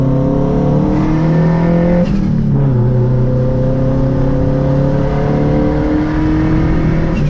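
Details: Home-built turbocharged Honda CR-V, refuelled with gasoline after running out, driving hard in first gear: strong clean pull, pitch climbing smoothly through revs, no misfire or stumble; sounds good.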